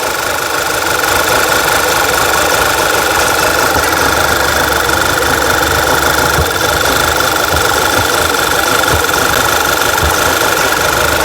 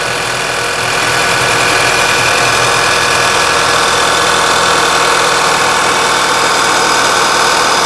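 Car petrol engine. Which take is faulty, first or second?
first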